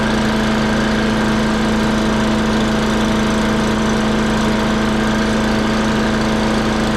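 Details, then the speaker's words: Free old wood chipper's small single-cylinder engine after a new kit and spark plug gapped at 30: steady drone with constant hum and even pulse, no surging or misfire; running healthy. "right on well it runs sounds pretty good"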